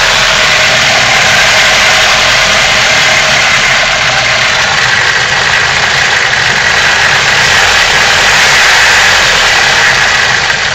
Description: New Bosch 0280155710 injectors on a 150K mile BMW M42. Rough idle.